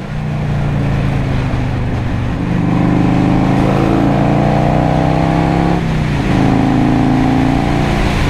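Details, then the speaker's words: 1984 Harley-Davidson FLT Tour Glide, 2-into-1 SuperTrap exhaust, revived after sitting 20 years, on a highway run through all gears including 5th: deep, even V-twin pulse climbs smoothly with no knocks or misses; healthy under acceleration. "But she sounds good. She definitely sounds good."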